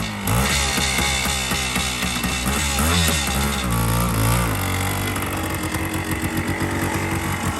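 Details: 1976 Honda MR250 Elsinore two-stroke barn find, all original, stored many years; after carb rebuild and fresh gas it starts first kick on choke, crisp ringing crackle rising and falling cleanly with throttle blips; runs great, normal running.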